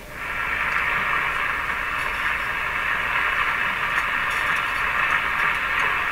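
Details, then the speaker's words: RCA Victor A23 tube radio on the 9/11/15 MHz shortwave band after antenna coil repair: steady hiss and static, no station or voice; set works but gets no shortwave reception because it is unaligned. "Sounds good. Not hearing anything. It's unaligned, remember? Nobody home there."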